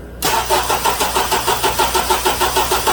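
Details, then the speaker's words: 2007 Honda Accord 2.4 L four-cylinder DOHC, cold, battery load test, alternator output and voltage drops good: laboured, uneven slow cranking around three turns a second without starting, pointing to a worn starter; starter replaced. "so i'm not happy with the way this starter is cranking this engine sounds like it's laboring battery tests good voltage drops test good"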